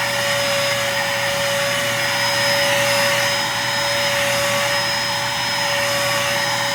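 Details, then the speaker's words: Red Devil Featherlite upright bagless cyclonic vacuum: steady high motor whine and airflow rush, no debris heard entering canister; weak suction, owner suspects broken belt. "so you can see that really not picking up couldn't really hear any dirt coming into the canister here and first impression would be that maybe the belt is broke"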